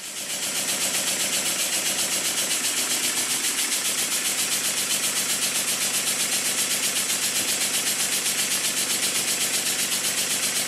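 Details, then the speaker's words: Model steam engine made circa 1896, rebuilt, run on air placed on cardboard: soft even chuffing near four beats a second, no clatter; valve timing perfect, early air admission cushioning reciprocating masses, despite a too-thin crank pin. "When I place the engine on a piece of cardboard, because my workbench is a soundboard, you can hear how quiet it is. This quiet running is nothing to do with the mechanical condition of the engine."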